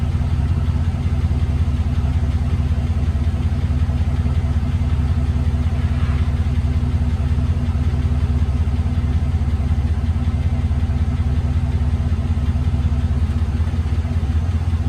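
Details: 1999 Chevy Silverado 2500, replacement used 6.0L LS V8 (180k miles, swapped for failed 250k engine), first start after install: steady, even low rumble at idle, regular beat, no ticking or knocking, no leaks; normal idle.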